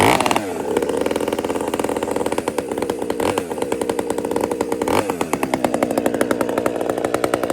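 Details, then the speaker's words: Chainsaw after a major repair, previously hunting at idle: a crisp two-stroke buzz that holds steady and picks up cleanly with the throttle, no hunting or surging; it runs healthy now. "It had bugs. It was idling up and down and I kind of was making excuses for it. I don't like doing that. But, uh, it's just it's clean now. It's behaving."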